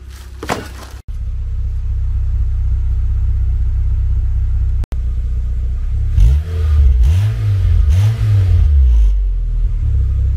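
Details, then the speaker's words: Nissan Sentra, 190,000 miles, after a tune-up: steady low idle then several clean rev rises and falls without misfire, sounding much better than when bought; a slight tick-like noise from underneath the car is noted at startup. "yeah besides that this thing sounds really good now 190 000 miles yeah I don't know sounds a lot better than it did today I picked it up"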